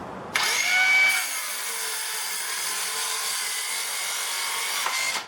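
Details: Bauer 20V cordless 6.5-inch circular saw cutting 2x4 with the battery down to one bar: high motor whine sags noticeably in pitch, then drones on slower through the cut; saw bogging down under load, cause not confirmed.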